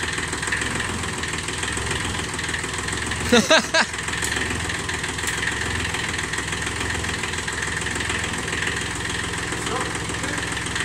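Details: Kubota three-cylinder diesel micro-tractor, long stored in a garage: even, steady idle chatter with no misses or knocks, brief handling clatter midway; idles cleanly, better than new.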